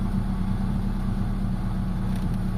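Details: Mitsubishi Lancer GLXi at idle after replacing the ignition coil and an oil seal; previously idle hunted, engine shook and stalled while driving; now steady, low, even idle with no stumbles.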